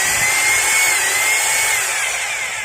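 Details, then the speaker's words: Maktec MT870 rotary hammer drill that won't hammer, retested after a first fix attempt: steady high motor whine with no rhythmic blows in hammer mode, sound unchanged. The fault lies elsewhere; disassembly from the rear, removing the carbon brushes, follows. "yes and you can hear it yourself for the sound, no there is a change that means the damage is not from here,"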